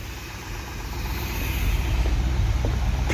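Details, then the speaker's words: 1964 Corvette 327 V8 with Edelbrock carburetor, tuned about 45 minutes: steady even idle with low lope, no stumbles or misses; carburetor well tuned. "if you want to tell me that fuel injection is better than a carburetor I I won't believe you you just don't get that sound with EFI this is the abs-2 Edelbrock"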